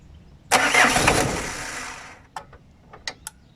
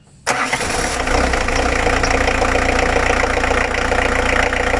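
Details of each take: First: 1997 Citroën Berlingo, 1.9 L naturally aspirated diesel with hard starting; glow plugs suspected, 10 V measured at the glow plug: a 1.5-second crank dies without firing, then separate relay clicks, as the cranking was too short. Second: Old 1.9 diesel that previously wouldn't start: cranks briefly, catches at once and settles into even clatter; a bad contact in the glow plug relay box was suspected as the cause.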